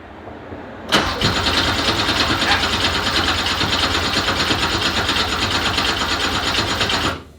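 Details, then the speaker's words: Porsche with swapped Subaru EZ30R flat-six, sport exhaust, first start after no-start troubles: catches, runs about six seconds rough and uneven with hissy unsteady note; cause unknown; rough running after start. "what's now made progress but still not good yet"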